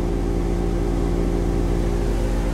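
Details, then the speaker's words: Car with the front jacked up and put slowly in gear, raised wheel spinning: steady low droning growl with a constant tone. The noise rose with road speed while driving; the right front wheel bearing is bad. "now I can hear the noise you definitely hear the noise on this side this side jacked up so that means this particular case the right front wheel bearing is bad"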